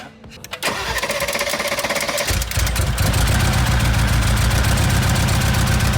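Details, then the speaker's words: Rebuilt wrecked 2022 Mercedes G63: cranks, catches, settles into uneven, lumpy idle with shaky low beat; runs rougher; one cylinder showed 120 PSI compression, bent valve feared. "Dude, I think it runs a lot rougher now."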